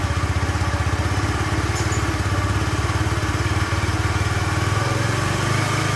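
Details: Honda Spacy FI scooter after stage-two engine repair for smoking, test start: low thumping single-cylinder idle with slightly uneven pulses shifting pace near the end; rough idle remains, cause unknown, to be fixed in stage three.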